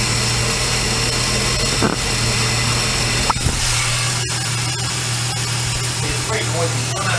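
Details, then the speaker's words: Supercharged L67 VY Commodore engine running, microphone on a steel bar held against the drive belt idler pulley bolt: steady low hum under a dense dry rushing hiss from a noisy, dry pulley bearing, to be replaced. "I'm gonna replace the first one. The first one sounded like it was more dry."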